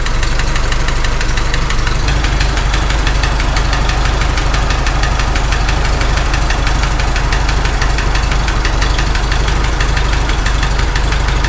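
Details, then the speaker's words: Farmall H tractor engine at idle, loose rocker wedged with screwdriver, close to the rocker: heavy rhythmic tapping about 146 a minute over deep rumble, loudest there, comes and goes after restart; owner thinks valve-train knock on cylinder 3, fix didn't work. "It actually sounds the loudest right there. Shut it off, then restart, it went away. Now it's coming back a little bit. It's kind of coming and going."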